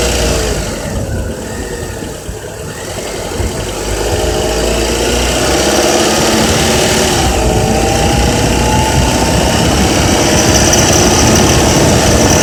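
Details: Honda Accord with K24Z3 engine climbing off idle and holding 2200–3000 rpm, with a fast metallic rattle riding on top; engine rattle at mid rpm, source not pinned down.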